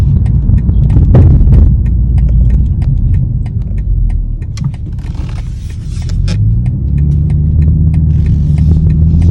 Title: 2021 BMW M440i Knocking Noise